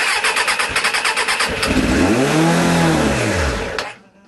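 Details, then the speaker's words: Suzuki Bandit 600 motorcycle, stone cold, choke on: starter churns, engine catches and revs briefly then dies within two seconds; keeps cutting out, owner suspects it is not getting fuel through. "don't like running now, does it? I did have to top up the can of or bottle of hope. So, that might be why it's cutting out."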